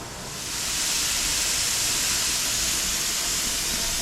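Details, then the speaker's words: All-American pressure canner canning bone broth: loud steady high hiss building then holding even, normal steam venting before the weight is set. "Okay, once it gets to pressure, it'll start rattling around. I can either use this gauge or I can listen for this to rattle."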